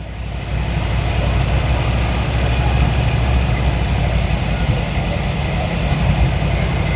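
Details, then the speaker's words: Square-body Chevy C10 V8 first start after sitting for years, with new plugs, new carburetor and Marvel Mystery Oil in cylinders: deep, steady idle with even lope, no knocking or ticking; smoking heavily as oil burns off. "Well, it runs. Okay, so we know it's running, and it's smoking to be damned."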